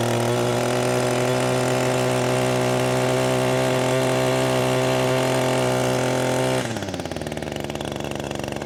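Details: Echo SRM-225 two-stroke trimmer after carbon was cleaned from the exhaust port for low power: a high, steady scream held clean at full throttle, dropping smoothly to an even idle. Normal full-throttle run.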